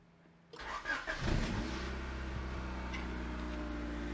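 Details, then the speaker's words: 1992 Honda Accord Wagon 5-speed, first start after five years sitting, extra fuel added; cranks briefly, catches and settles into an uneven lumpy idle with a deep blatty note, partly blamed on a large hole in the muffler; rough running after start. "so it starts it sounds like but it starts and that's probably has a lot to do with the giant hole in the muffler"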